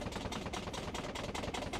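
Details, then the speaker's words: Mobilvetta motorhome at 1,512 miles, bed frame with about half an inch of play rocked by hand, loud enough to wake a sleeper and rattles while driving; rapid hollow knocks about four a second; finding: loose bed frame knock. "so not only when I'm driving does it do that it actually does that when you're just lying in the bed so if you move in the middle of the night it literally wakes the other person up because it's that loud"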